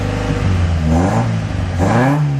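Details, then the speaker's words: 1959 Alfa Romeo Giulietta, parked a few years, now warming up with choke off: engine blips up and settles back cleanly with an even, steady note and no misses. "Sounds good. [Music] Yeah, we're getting some heat in it now."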